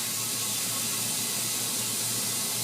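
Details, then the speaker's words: Tire mounted onto rim by hand at home, inflating after pushing bead to seal: steady hiss of air filling, then sharp pops as the bead snaps onto the rim. "Okay, you hear that? See, it's filling up now. Okay, I'll tell you when to pop. See, 2 pops."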